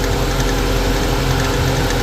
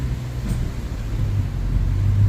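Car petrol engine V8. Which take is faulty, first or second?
first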